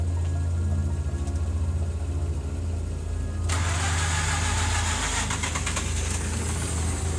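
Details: Mazda RX-8 Series 1 rotary with failing coolant seal, K-Seal liquid gasket applied after flooding, held gas pedal down while cranking: catches after a short crank and settles into a steady, even idle; starting quickly and cleanly now.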